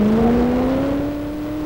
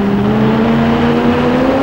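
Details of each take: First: Super modified pulling truck under full load during pull: clean, steadily rising engine note, no misses, pops or rough patches; engine sounds healthy. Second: 1977 Chevy pulling truck with automatic transmission during a pull: hard-pulling engine climbs steadily for about ten seconds then suddenly drops off and fades; lost power at end, officials checking whether kill switch pulled.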